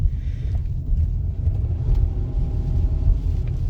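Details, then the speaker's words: 2019 Kia Sorento 3.3L V6, 84,000 miles, under hard acceleration: deep, uneven lumpy stumbling rumble; scanner shows cylinder 6 only misfiring, none at light throttle; torn ignition coil boot. "all right guys it started to misfire when I got hard on the accelerator pedal and it's actually misfiring right now and if you look at the scanner number six is the only one counting up"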